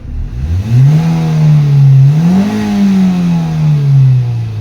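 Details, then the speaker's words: Nissan Almera 2016 manual, earlier low power and would not rev past 2000 rpm; after repair it idles at normal rpm with no check-engine light, and revving now picks up cleanly and smoothly past 2000 rpm with strong pull: normal revving. "so kita niyo ngayon mga ka albularyo na sobrang lakas na talaga ang hatak ng makina ngayon"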